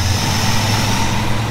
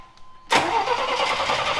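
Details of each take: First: 1987 Chevy square body truck just bought unseen, reassembled and fuel pressure checked: steady, even low rumble at idle with no misses, knocks or stumbles; engine running smoothly again after repair. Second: Square-body Chevy truck, in neutral, after its fuel pump was moved from the old tank to a new tank: starter churns in steady pulses about three a second but never fires; zero fuel pressure, and the pump is suspected dead.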